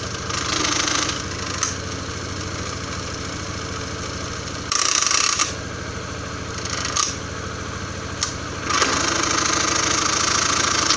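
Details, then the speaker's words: First-generation Honda Scoopy-i idling on its side stand, leaning left: loud, fast metallic rattle from the belt housing, about four a second; quiet on the center stand or when the kick-start lever is pressed slightly; cause not yet known. "สตาร์ทเครื่องไว้ก็จะมีเสียงดังอย่างที่เพื่อนๆได้ยินได้ฟังในขณะนี้นะครับครับ"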